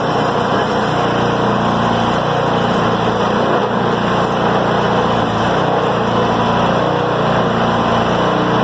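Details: Craftsman 26-inch two-stage snow blower (MTD, model 31AS6DTF799) after auger cable replacement: the small engine runs steady at constant speed with no knocks, misses or surging, and the auger turns smoothly. Healthy machine.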